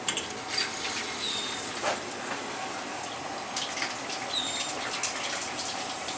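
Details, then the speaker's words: Gas boiler heating system after a no-power, no-heat repair, slowly refilling: steady soft hiss of water trickling through the feed valve with no knocks or bangs; system feeding normally. "Well, It's feeding. I can hear it feeding."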